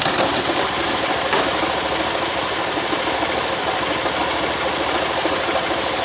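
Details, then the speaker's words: Motorcycle in first gear under load, rear brake held and throttle open, after fitting the master link (cadeado): the previously knocking chain drive now pulls steadily with no noise, fault resolved. "Fazendo força aí, eu tô segurando no freio traseiro e com ela acelerada. Aí você vê que o barulho acabou."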